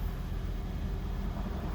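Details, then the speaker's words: Hybrid 2018 Toyota Prius running after a jump start to the dead 12V auxiliary battery under the rear passenger-side seat; steady, even low rumble with no knocks or ticks and slight wind noise. Normal, healthy idle. "I'm not sure you can see it or not. The engine is running now."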